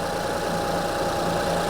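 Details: 2005 Honda Odyssey idling with an uneven, stumbling beat, a pulse dropping out now and then; cylinder 3 misfire. Waveform testing found the cylinder 3 ignition coil bad; one coil and six spark plugs recommended.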